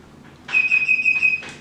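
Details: Electric TV cover lift motor gives a high steady chirp, pulsing about four times a second, while reprogramming, acknowledging the newly set upper limit.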